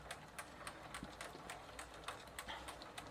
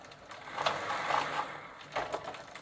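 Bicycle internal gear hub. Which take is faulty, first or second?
second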